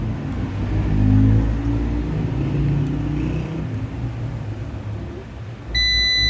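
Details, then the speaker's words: SAKO PLUS inverter being tested for a dead fault, coupler bridged on the power supply section and switched on: low rough hum swells as it tries to start, then a steady high beep; power supply working normally. "देखें, आवाज़ आ रही है। ये testing का तरीका है कि आपकी पावर सप्लाई काम कर रही है।"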